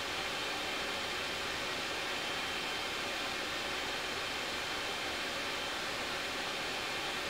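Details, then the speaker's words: Elegoo Neptune 3 Pro 3D printer printing, heard about 30 inches away: steady airy fan hiss at a constant ~48 dB with a faint high whistle from the power supply fan, no stepper motor noise unlike the Creality CR6SE; normal printing noise. "48 DB or so pretty constantly because it's just a constant fan noise you're not getting the um the same stepper motor noise is on the cr6"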